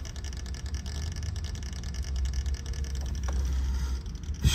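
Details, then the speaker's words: Rheem central A/C outdoor condenser with Emerson CoreSense contactor, fan not working and capacitor nearly dead: steady low hum with a rough rattly buzz from a worn chattering contactor close to failing. "all right i have the disconnect pulled and hear that contactor"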